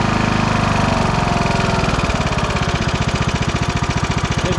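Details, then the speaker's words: 2009 Craftsman YTS 3000 with a 21 hp Briggs & Stratton engine, right after heavy backfiring suddenly cleared: steady, even firing beat with no misses or pops; runs smoothly, though massive blow-by was seen afterwards. "just cleared. It just cleared up. It's really perfect."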